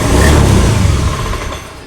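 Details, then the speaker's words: Honda Beat FI automatic scooter: idles normally but revs up on throttle then sags and dies within two seconds, MIL blinking; cause traced to a wiring fault. "nah besar kemungkinan masalah di motor ini sehingga motor ini tidak mau digas tidak mau lari tidak mau jalan"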